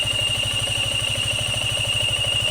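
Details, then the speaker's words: Yamaha Sniper 155 FI at idle with radiator fan running: thin, steady, unchanging high whine over the lumpy single-cylinder idle from the water pump. On dismantling, the water pump seal was found damaged. "Soonansin niandar na anghang radiator fan pero ang ihang oil pump water pump niya nagsigi panaghoy na siyang disbantulon tana na to kung nahitabo sa water sa water pump niya"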